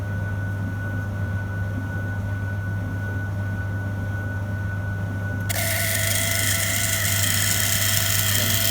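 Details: Five-year-old Beko DPU 8360 X tumble dryer: steady low hum, then a harsh high screech bursts in as the nearly jammed drain pump struggles before spinning; noise growing more frequent; pump cannot be disassembled and needs replacing.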